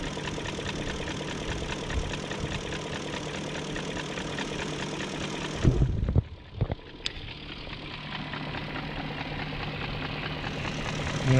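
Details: 2001 BMW E38 740i V8 petrol idling smoothly after timing chain guide replacement, with new chain tensioner, guides, gaskets and seals, and no exhaust smoke; only light normal injector ticking, a normal idle.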